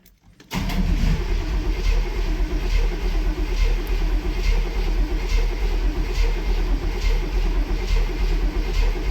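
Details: Barn-find Cadillac 7-liter V8, unstarted 30+ years, after cleaning starter connections and terminals and charging the battery: starter cranks in an even rhythm for several seconds but never catches, crank no start.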